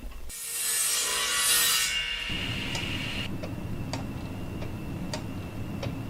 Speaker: so this is a third wooden gear clock that I made quite a few years ago it actually is made of Brazilian cherry it's a beautiful wood there's actually five different layers that I'll show you in a minute that all the gears are located between and you hear it ticking it keeps good time